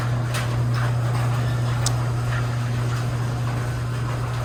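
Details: Garage door opener after a chain adjustment fixed a grinding noise that followed a loud bang and dropped door: even low motor hum, smooth chain run, no grinding or catching as the door travels; normal operation.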